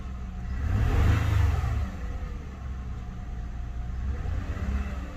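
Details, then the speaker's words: 2008 Lexus ES350 V6, warmed up, revved to about 2000 rpm then dropping to an uneven, lumpy idle with vibration; P0304 cylinder 4 misfire persisting after coil swap; cause found as rat-chewed #4 fuel injector connector, no fuel to cylinder. "so i'm gonna go back onto my code reader go to read codes [Music] stored codes oh there are no store codes pending codes oh again yet so it's saying cylinder four again so that's the spark plug"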